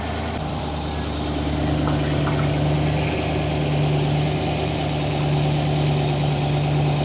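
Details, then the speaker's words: TVR Griffith 500 V8 after extensive work, first start with new HT leads and coolant still being topped up and burped: deep, even burble at a steady idle with no misses, knocks or ticks; runs smoothly and sounds really nice. "But otherwise, it sounds really, really nice."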